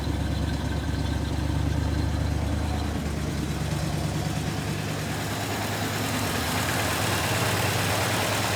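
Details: 1967 Plymouth Fury III 383 V8 just started after 15 years with new fuel pump, smoky, probably from burning dust: deep steady rumble, brief tone change partway (revs given), then settles back evenly; healthy idle.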